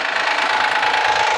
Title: 2014 HONDA ACCORD V6/Engine Knocking Sound at Cold Start/Cause and Remedy(Part 2)